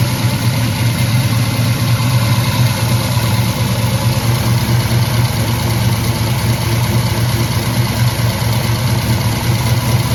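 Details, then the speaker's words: 1986 Chevy Caprice big-block V8 idling after valve cover gasket replacement: deep, steady burble with an even beat and no knocks or ticks; runs healthy. "[Music] I think it sounds pretty good."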